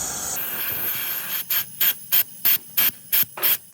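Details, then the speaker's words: Engine crankcase pressurized to about 10 psi with compressed air to find an oil leak: sharp hisses from an open screw hole into the crankcase, left open after fan work, which blew oil over the engine; fixed by refitting the bolt. "now we just look for leaks looks like we got about 10 lbs of pressure going in there now and there's our leak"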